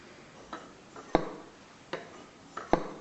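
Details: Jaguar E-type SU HD8 carburettor on the inlet manifold, jet being centred: a few firm metallic clunks, about one every half second, as the piston drops freely onto the bridge, confirming the jet is centred correctly.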